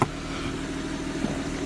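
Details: Gen 1 BMW F30 340i (B58 engine), first start after a genuine valve cover and oil catch can install and reconnecting the battery and injectors: sharp catch on firing, then a smooth settled idle, steady hum, no ticks; healthy.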